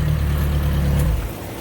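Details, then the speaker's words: 50hp Yamaha 4-stroke outboard on a Key West 1720 boat, on a garden-hose water supply, after fixing mixed-up spark plug wires: deep, even low rumble with no misses, then it drops off; normal idle. "there we go that thing's running perfect that's what it was we just had some spark plug wires that were mixed up it is just running just as smooth as it can"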